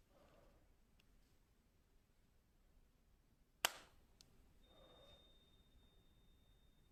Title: Pamu headphones sound problem [weird noise from case] 😳